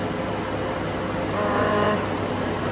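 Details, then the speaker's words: Renault Twingo 1 phase 2 with the 8-valve engine, running in 4th gear with the front right wheel spinning: a steady low drone with a rough hum from a badly worn front wheel bearing. "on l'entend sais pas si longtemps avec moi soit du goût et de roulement dégueulasse"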